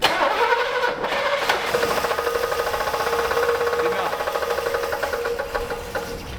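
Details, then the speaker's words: 1965 Buick LeSabre V8, first run since 1989, after retightening a cover: rapid uneven ticking knock about three per second over a thin running engine, seemingly from one side of the engine; not the fan or pulleys, source unclear. "it sounded like the noise whatever it is is coming from up here it's not the fan I don't see any pulleys misaligned I mean it just sounds like it's coming from this side of the engine"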